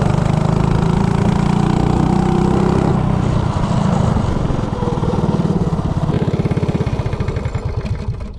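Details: 197 cc LCT snowblower engine on a Coleman CC100X minibike with Nibbi 24mm carburetor, header pipe, 18 lb valve springs, rejetted to 120 main / 38 pilot to cure a lean hesitation; revs cleanly without stumble, then settles to an even putter; normal running.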